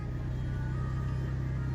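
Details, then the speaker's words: Maruti Alto K10 AC blower fan on the second speed gives a steady low hum and hollow roar, much louder than before, when it ran quietly; likely debris drawn into the fan. "मैं तो भई यह आवाज देख सकते हो आप कितना ज्यादा आवाज़ कर रहा है तो पहले बिल्कुल नॉर्मल चलता है इतनी आवाज कुछ भी नहीं करता था"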